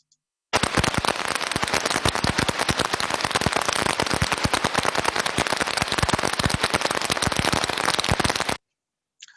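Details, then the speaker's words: Ultrasound heterodyned recording of conveyor idler bearing number four: dense, harsh, rapid, uneven crackling impacts, far worse than bearings two and three, indicating severe bearing damage. "as we can see number four is looking a lot worse than any of the other bearings"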